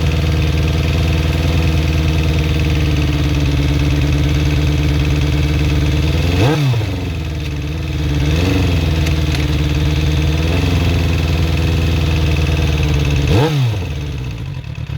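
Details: Suzuki GSX-R400 motorcycle engine idling with light, fast ticking and several quick throttle blips; owner unsure whether valve shims or timing chain, cause not confirmed.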